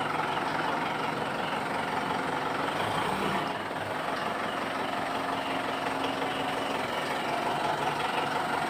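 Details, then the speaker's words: Mitsubishi Pajero that squeaked like a rat when shifting into gear, suspected at the propeller shaft cross joint; the joint was greased rather than replaced. Quiet even idle with no chirp or rhythmic squeak after greasing; normal drivetrain, no squeak. "Kita kasih bet atau Kris ini sudah normal kembali nah ini oke nah itu kita kasih fat nah dan akhirnya ndak bunyi ya udah kita tes ini"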